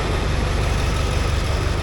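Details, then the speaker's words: Ford F250 7.3 Powerstroke diesel idling just after start following new starters, solenoid and injector driver module; engine light on, smoking a bit: deep even idle with steady low beat, no misses or knocks; healthy. "Oh, I tell you what, that sounds ace. Oh, she's smoking a bit, and I guess that's to be expected as well."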